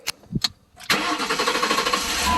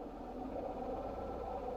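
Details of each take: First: Chrysler Pacifica 3.6 Pentastar V6 after replacing the leaking plastic oil cooler, intake gaskets, spark plugs and belt: short crank catches cleanly, brief flare, then steady, whisper-quiet even idle with no knocks or squeals. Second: Chrysler Pacifica 3.6 Pentastar V6 idling, hood open, with busy uneven mechanical chatter; dealer diagnosed failed right-side intake camshaft, rockers and lifters; worsening daily, starting to shake the car.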